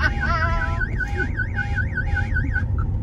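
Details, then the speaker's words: 1990s Ferrari 512 idling roughly, apparently on about six and a half cylinders, while the immobiliser alarm goes off; warbling electronic siren over a low idle, ending in two short beeps. "so we're on what 6 and a half cylinders do you reckon here know and the immobilizer is going off"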